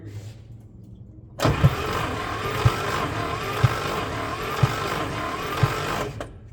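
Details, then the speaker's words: 1965 International Scout off the road since 1979, all spark plugs out, cylinder three compression test (cylinders one and two read 20 and 55 psi): even starter whir with about five soft beats a second apart; cranking during compression test. "what a cylinder three half one of them has decent compression because I can hear it and maybe that's the 55 here"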